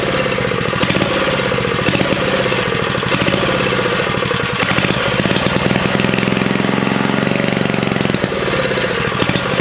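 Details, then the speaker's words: 1970 Rupp minibike with small single-cylinder engine: single revs with a rough, stuttering bark that breaks up and pops instead of pulling clean, a stumble at full throttle; owner unsure whether it is the 20-degree issue or needs better tuning. "Yeah, you give it full throttle and it just farts. So I don't know if that's the 20-degree issue, or, you know, if I could tune it a little better."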